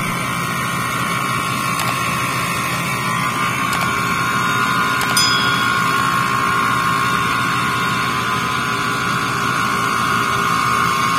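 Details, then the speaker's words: Freezer not cooling, manifold low-side gauge not dropping after start (about 6.3): loud steady hum with high whine that slowly grows; compressor runs hard but doesn't seem to pump, suspected internal breakage. "কম্প্রেসারের সাউন্ডটা আপনারা লক্ষ্য করেন আর ধরে দেখেন একটু নিচে যাচ্ছে না। কম্প্রেসারের সাউন্ড আস্তে আস্তে বাড়তেছে। দেখতে পাচ্ছেন কি ধরনের সাউন্ড।"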